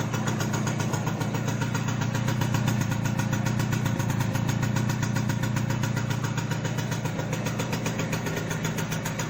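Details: Simson S51 two-stroke, cold after about two months stored, freshly refuelled with mixed petrol and oil: quick, even popping at about four beats a second with a buzzy edge, idling steadily.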